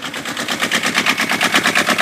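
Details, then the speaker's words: Kubota diesel microcar engine idling after rocker valve clearance set to 0.20 mm: quick even chatter, no extra clack-clack tapping, valves sound correctly adjusted. "Si elle démarre au quart de tour, c'est que vous avez fait quelque chose de bien."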